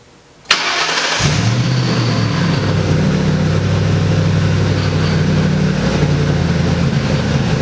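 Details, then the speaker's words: Ford F100 on a Crown Vic frame swap, first start: cranks and catches, then idles unevenly with a lumpy, wavering beat because the mass airflow sensor was left unplugged. "the rough idle that it had on it I didn't have my mass airflow sensor hooked up the one thing I has the one thing I missed"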